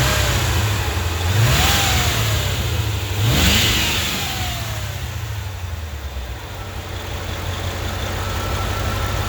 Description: Intermittent misfire on my 1995 Corvette